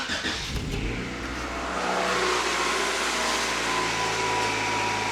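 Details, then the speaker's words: 1991 Honda Accord EX-R four-cylinder, started after an oil change, a timing belt job and reassembly, car up on jacks: it catches with a light rev and settles into an even, smooth idle with no knock or tick; normal idle. "nice and smooth, baby."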